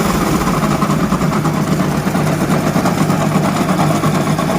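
Steady idle with a dull, uneven knocking rumble in the lower end, about three beats a second; a worn crank bearing.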